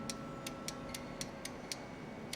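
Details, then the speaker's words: CNI 8-relay output board, model UR-EIO/C: a control wire energizes the relays one at a time. Each relay gives a crisp single click and its LED lights, about eight clicks in under three seconds over a quiet hum. All relays switch normally. "let's see how it works yeah I can hear that relay clicking and this led LED one is turning on there's pin - I can hear relay to turn on and ld2 is turning on there's three"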